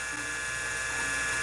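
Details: Original CM5616 hard drive (256 cylinders, 6 heads) in a Convergent AWS Turbo at power-up: thin high whine with rapid mechanical ratcheting chatter; sounds bad, yet it still boots CTOS.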